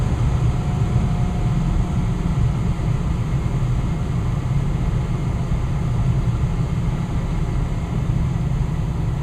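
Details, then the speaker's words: Westinghouse two-stage gas furnace with variable-speed fan motor, burner just shut off and fan running on, slowing to low speed: steady, even low rumble of air with no rubbing or ticking; normal blower operation. "now the furnace just turned off and now the fan is just running and the fence will eventually start to go in its slower sorry go into a slower speed you can hear it smooth running all right now the fan is slowing"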